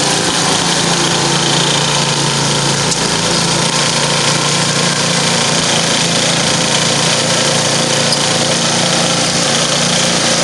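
Loud, constant high-pitched buzz of a small engine holding steady speed under load, no misses or knocks; runs healthy.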